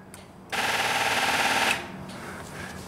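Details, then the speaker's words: Genie boom lift, dead on a cold construction site, battery reading 11.5 V: fast chattering clicks, three or four a second, with the engine never turning over; dead battery suspected, not confirmed; rapid starter clicking, no crank. "customer complaint is it's just dead completely dead nothing well not really nothing certainly sounds like a dead battery to me"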